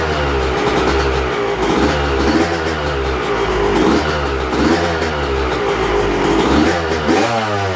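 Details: Yamaha YZ125 two-stroke, first fire-up after a cracked cylinder was replaced with a replated one, choke on: crisp crackle that rises and falls cleanly through repeated throttle blips. Normal, free-revving running.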